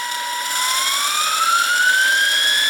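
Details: Wilesco T115 model steam turbine, shaft turning counterclockwise; high, clean whine climbs smoothly in pitch as it spins up, with no rattle or rub. Very little vibration. Normal running.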